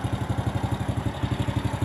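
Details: Motorcycle idling after battery service (the battery water was nearly gone and it wouldn't start; drained, cleaned, recharged). It now starts straight away on the starter: even, steady thumping at about nine firings a second, no misses or knocks; healthy idle.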